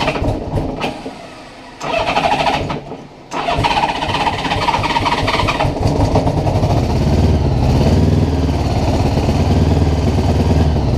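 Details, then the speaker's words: 1980 Honda GL1100 Goldwing being revived, cold-blooded and won't run without choke: a few cranking bursts, then it catches and settles into an even, low purring idle; normal start and idle. "Listen to that thing purr. Yeah, it doesn't want to run without a choke."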